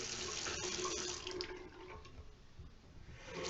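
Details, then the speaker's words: Two-handle washerless Delta faucet, model 25770LF, about 10 months old; the hot side squeaked, and the O-ring was replaced and greased. After the repair there is a full, steady water hiss with no squeal and good flow rate: normal faucet flow. "sounds the same as the other side I get good flow rate so everything's lined up"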